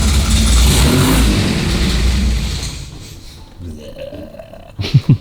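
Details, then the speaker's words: 1955 Austin Healey with H4 SU carburettors, badly out of tune, before the carbs are stripped: lumpy, popping rumble that stumbles as the throttle opens, then dies; spitting back under throttle, suspected too lean or a timing fault. "As you can hear, it's miles out of tune. So, I mean, that's giving it loads of throttle just to make try and make it pick up, you know, spitting out the car, which is either too lean or the or the timing."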